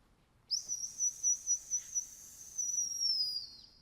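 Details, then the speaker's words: Top-dead-centre whistle screwed into the number one spark plug hole while the engine is rotated on its compression stroke, during Sniper EFI magnetic-pickup distributor setup: a pulsing high whistle rises, holds, then fades at top dead centre, which is normal. "you screw it in place of the number one spark plug and as you're rotating under your approaching top dead center you'll hear it whistle"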